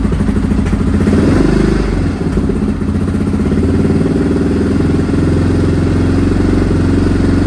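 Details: Restored Honda XR650R single idling low on its first run after years stored, started cold by warming the inlet manifold; valves adjusted, carb rebuilt. Steady, even thump with no knocks or ticks: clean, healthy idle.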